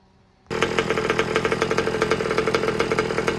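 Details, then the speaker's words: Old Baja buggy with a new two-stroke engine during heat-cycle break-in, new pipe with bigger expansion chamber, idle set slightly high: crisp, even buzz with steady pulsing and no misses or rattles; normal running. "don't know about you guys, but I reckon this pipe sounds a lot better. Probably be better suited to with the bigger expansion chamber here. So we're going to run with this. Sounds really nice and crisp."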